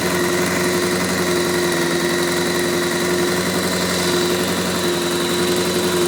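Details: Honda F4i motorcycle at idle: steady, busy idle with a thin tone on top and a faint ticking clatter. Owner reports an abnormal noise from the first cylinder (left side of the bike); cause still being sought.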